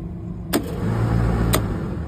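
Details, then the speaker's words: Trane rooftop unit in test mode with a faulty RTRM control board giving no output voltage: over a steady hum, one sharp clack then another a second later as the fan contactor pulls in and drops straight out. Board to be replaced. "The fan contacttor going to pull in for like split second and it's going to trip out because it's not seeing voltage coming out of this board."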